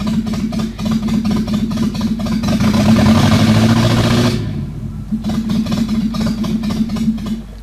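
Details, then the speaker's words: Renault 18 2.0 engine, open exhaust (pipe disconnected), distributor retarded: revs up rough, then dies away and struggles back with uneven chuffing; engine barely reaches 3000 rpm, has little reaction and stalls from too-retarded ignition timing. "you imagine en route this is significant makes the car have no way out, and notice that stopped there, directly, stopped car, the gear stopped,"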